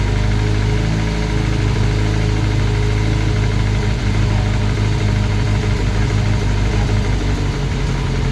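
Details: Classic Mini turbo on first start: small four-cylinder idling with a steady light knock in time with the engine, sounding almost like a big end but located at the rocker cover; top-end valvetrain knock.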